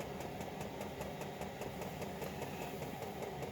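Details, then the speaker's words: Chinese 5 kW diesel heater with LCD controller, possibly at lowest pump setting 1.2 Hz, on a cheap charger/battery: soft steady fuel pump tick, roughly two to three per second, over an even hum; normal operation, very low fuel use. "you can hear the fuel pump just going let's see 1001 1001 1001 you know there might be three or four revolutions per second which is a hertz so it might at its lowest setting running at 1.2 it barely uses any fuel"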